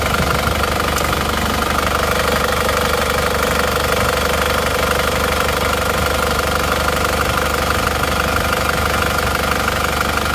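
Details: Isuzu Panther diesel before rebuild, smoke from the oil filler cap, weak: heavy, hard knock at a steady idle beat, about three a second, under a rough drone; mechanic judges compression leakage from worn rings or liners.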